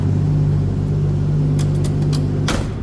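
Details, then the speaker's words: 1961 Plymouth Fury hardtop, 225 slant six with dual exhaust and push-button automatic, idling just after a cold start (temp gauge not yet up): smooth, even low exhaust rumble with steady drone, no knocks or misses; normal cold-start idle. "Alright, that was a cold start, so I wouldn't expect the temp gauge to be up."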